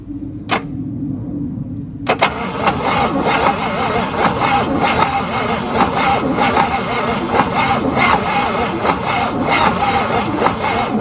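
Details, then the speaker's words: 1958 Buick Super abandoned V8 of unknown condition, first start, fed from a temporary fuel can with the ignition switch jumped: quiet, then sudden harsh uneven churning as it turns over; something sounds wrong, cause unknown. "i think well that's not a good thing it shouldn't be a thing uh"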